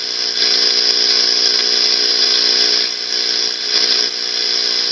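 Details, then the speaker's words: Baylor 6 transistor radio after electrolytic caps replaced and audio repaired, tuned to an open frequency: steady high whistle over hiss that shifts as the dial is tuned, indicating the oscillator is running. "hear how that changes when i tune that that's usually a pretty good indication that the oscillator is running on this radio"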